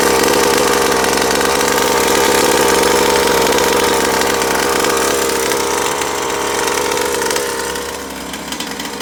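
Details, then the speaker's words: Rovan Baja Max 5T 1/5 RC truck small two-stroke engine on its very first run, high buzzy idle held steady and even without surging or stumbling; sounds healthy. "that's it doing good she's alive sounds healthy"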